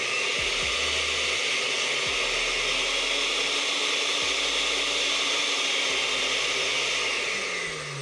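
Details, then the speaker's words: Oster blender after bushing and bridge replacement: smooth, steady high-pitched motor whir, no grinding or rattling; runs normally. "and we see that the equipment works perfectly well,"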